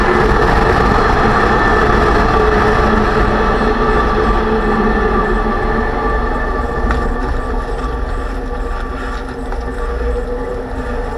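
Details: 2006 Range Rover Sport rear differential after rebuild with all new bearings, pinion preload set at 35 in-lb, while driving: steady whine over road rumble easing as speed drops; owner suspects pinion preload too high.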